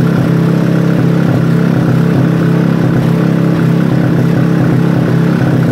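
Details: Robin small single-cylinder engine, first start attempt after restoration: a steady, fairly even beat with a constant low drone and no knocking. Runs normally.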